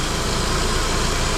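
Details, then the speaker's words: Saab 9-5 Aero, after fitting a new alternator and replacing the wrong belt with the correct one: a quiet, smooth idle with a soft low hum and no squeal or rattle; running as it should. "Well, I'm quite delighted that this is what it's actually supposed to sound like. And I put the alternator on last night, the belt was wrong, so I got a new belt for it today, and now it's nice and quiet."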